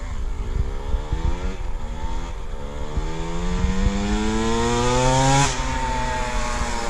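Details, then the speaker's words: KTM 65 two-stroke motocross bike that was shutting down at mid to high throttle; after a new hose line and clearing the plugged pilot jet, the engine revs crisply and climbs cleanly with no bogging or stumble. Normal revving. "Put a new hose line on. Yeah, pilot was plugged. Pilot was plugged. Yep, so go again. Sounds better."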